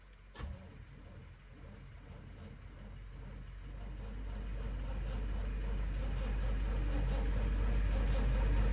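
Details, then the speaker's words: Car that has sat for a long time: even starter cranking at about three beats a second that grows louder but never catches; it turns over without firing. "Oh my gosh, she wants to turn over so bad. I'm gonna let it sit. I'm gonna let it sit for a couple of minutes, y'all. This car wants to turn over so bad, bro."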